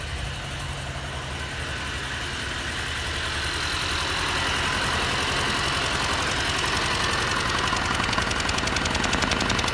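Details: 2022 Mercedes Sprinter M274 petrol engine, 237k km, idling unevenly with a regular stumble about four times a second; cylinder 3 misfire with good spark but low compression (90-120 cold, 60-90 warm vs 140-150 others), blow-by suspected from crankcase.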